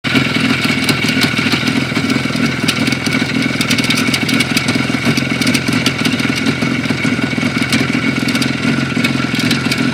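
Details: Knock inside a Jupiter 5 two-stroke engine two weeks on: busy, rattly idle with a fast, sharp tapping over the exhaust throughout; cause unclear.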